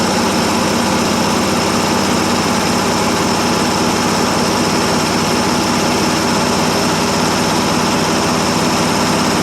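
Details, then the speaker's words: 1957 International S120 4x4 pickup, old six, started after about 4 years sitting, straight-pipe exhaust: steady, even idle with a loud rumble and no misses or knocks; runs well. "think actually a good runner when it's running"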